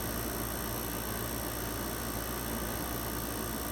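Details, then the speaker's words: Whirlpool 10,000 BTU air conditioner (circa 1999, believed Matsushita rotary compressor), after burnt wire fixed with new crimped connector, run cap tested fine, about 70°F outside: steady even hum with airy rush; compressor running normally. "it's running fine you can hear that can you hear it compressor sounds happy as to be that is a i don't know you have to look back at the original video i think it's a matsushita rotary compressor"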